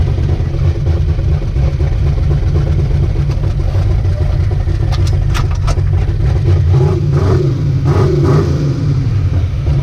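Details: Ricky's 750 blow-through carburetor on a V8, rejetted, with a 6.5 power valve, no pump shot, under test: a deep, even rumble revving up and settling cleanly with no misfire, popping or stumble; best it has run so far, normal running.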